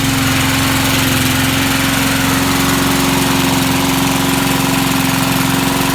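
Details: Vintage Sears Montgomery Ward push mower, first start attempt: a steady, quick chug with a constant hum and no misfires or dropouts; the old mower runs evenly.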